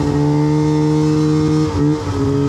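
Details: 2006 Arctic Cat M7 two-stroke snowmobile running well before its breakdown: crisp, steady note that holds, dips briefly, then picks up cleanly.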